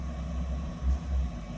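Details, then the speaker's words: 2 kW Chinese diesel heater on standard pump fuel with filters, firing up: low, even rumble from the burn chamber that swells as it lights, steady burn with no popping or sputter; normal combustion at startup. "All right. So she's firing up. You can hear her at the burn chamber. Love that sound."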